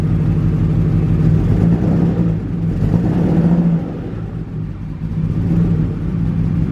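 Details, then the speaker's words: BMW E34 wagon after O2 sensor replacement, revving: smooth revs with a raspy, puffing rumble rising with throttle, from an exhaust leak under the car; no misfire. "There's an exhaust leak below me, so that's why it sounds like that."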